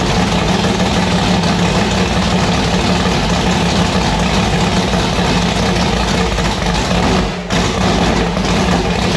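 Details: V8 race car with newly installed 1150cfm Pro Systems carburettor on E85, just started: loud, lumpy idle with uneven loping beat, no smooth settle, sounding violent; rough idle, cause not confirmed.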